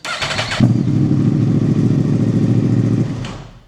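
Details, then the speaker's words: Yamaha R1 after installing a new starter motor: short crank, then the engine catches almost at once and settles into an even, steady run; a healthy, quick start. "Super fast startup, especially for this particular style of bike."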